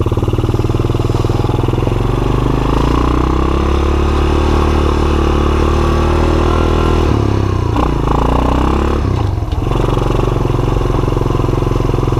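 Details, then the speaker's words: Honda TRX200SX ATV, barn find revived on a budget build; steady low single-cylinder thump at fast choke idle with brief blips around seven to nine seconds, running evenly without misses, normal warm-up to break the clutch free. "Take a minute to warm up, break the clutch free, and all."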